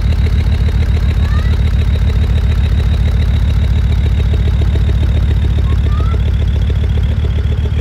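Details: Land Rover Discovery 2 Td5 diesel idling below operating temperature: hard, uneven thump about 3.5 per second, a temporary misfire that settles to normal idle, shortening as it warms; owner suspects ECU-controlled cold protection or fuel cut.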